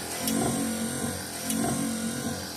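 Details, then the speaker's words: 1968 Dodge Charger AWD body swap, wipers running after the squeak was cured by spraying the wipers: steady motor hum with a light tick each sweep, about every 1.2 s, as the linkage hits burrs; to be fixed in a rebuild. "now you can hear it hitting those burs a little bit but that's not a big deal once we go through and rebuild all of this that will be addressed"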